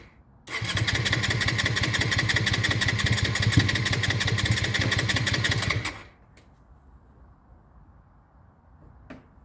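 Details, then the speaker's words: Honda Shadow under restoration, after carburetor float fix for fuel overflow: catches and runs a rough pulsing idle about five seconds then dies abruptly; cause unknown, owner suspects too much air or the battery. "Okay. So, as you can see, it starts on its own very, very well, but then it dies right after, which is I don't know why."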